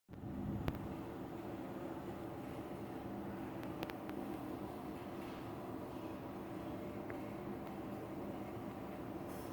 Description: Inline exhaust fan at a Diner. It rattles!